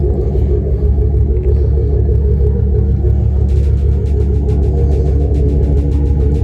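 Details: 1999 Dodge Ram 1500 after installing a cheapest-listed Amazon radiator, running with a little rev, owner notes slight smoke; deep steady rumble with no knocks or misses, background music. Normal running.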